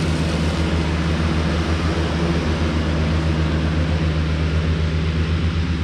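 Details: Cushman front-deck diesel mower, bought as scrap with a supposedly bad hydraulic pump, tires freshly aired up, mowing grass: steady, even diesel drone with a low regular thrum, no knocks or misses; normal running under load, mows nice.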